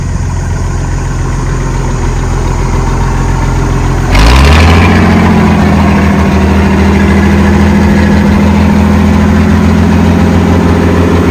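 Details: Ex-Australian Army International ACCO 6x6 truck with a Perkins 6354 diesel, running and driving after bleeding the fuel lines: low steady rumble, revs lift cleanly and hold an even strong drone, no knocks; normal running.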